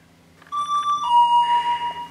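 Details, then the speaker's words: School bus (skoolie) air brake system, key on, original buzzer replaced with a chime: a repeating two-tone doorbell chime over a faint hum. This is the low air pressure warning, which should shut off at about 60 psi. "one of them turned off when it gets about 60 pounds [Music] it should shut off"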